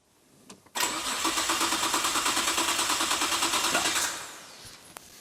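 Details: Nissan GT-R imported from Japan in neglected condition, relay clicking and fuel gauge not working: starter spins the engine evenly, about three compression beats a second, for three seconds without catching; crank-no-start, compression, spark and fuel still to be tested.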